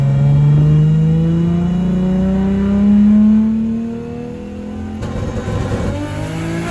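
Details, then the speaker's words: RB25NEO engine with big turbo on first drive after reinstall, pulls at about 18–19 psi boost with good oil pressure; smoothly rising tone then easing off, no knocks or rattles; normal engine under boost. "all right good news is the motor is healthy making good oil pressure sounds good nothing sounds out of place"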